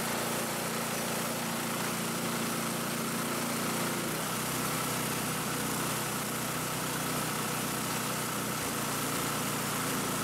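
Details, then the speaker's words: Ariens Compact 22 snow blower repowered with a Predator engine (replacing blown Subaru Robin), tachometer check: steady, even high-speed drone at 3500 rpm with no hunting or surging, within ±100 of the 3600 rpm spec; normal governed run. "okay so as you can see we got it to 3500 rpms it's hard to kind of juggle everything but i didn't want to take it any higher because it already sounds like this machine is going fast enough as it is"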